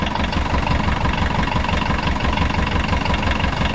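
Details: Abandoned 1980s VW Rabbit diesel pickup, first run, little coolant, gravity-fed fuel without pressure: heavy idle with a hard regular knock near three per second; owner suspects rod knock or piston slap.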